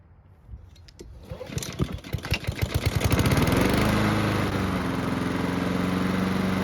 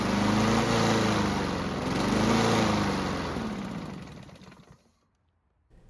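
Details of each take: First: Honda lawn mower after carburettor work to fix surging, hot restart after several minutes of running: a few pull-start chugs, then a smooth, constant pitch with no hunting; surging fixed, though the engine was lightly smoking. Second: Free Honda mower engine, carb and airbox just refitted with a left bolt thread not catching, starts and runs but surges, pitch rising and falling instead of holding constant speed.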